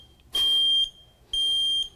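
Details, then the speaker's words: Smoke/carbon monoxide alarm combo pushed to test after battery change and reset, thumbs held over it to dampen noise; two loud, shrill half-second tones, test sounding normally. "it will tell you to push test button what you do and resets it and keep your thumbs over it to keep the noise from your ears"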